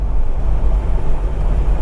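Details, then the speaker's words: Toyota Land Cruiser abandoned 8 years, after the driveline vibration fix, at 60 mph: a steady, even road rumble with no pulsing or droning beat, so the driveline is smooth and vibration-free. "Oh, yeah. 60 m an hour. This is absolutely delightful. It's a drivable car."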